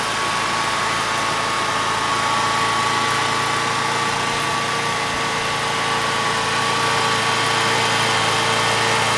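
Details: Generac standby generator (model 0058751) 999cc engine (0J9333) after oil pump replacement fixed low oil pressure shutdown: steady, even drone with constant pitch, no knocks or misses; normal running.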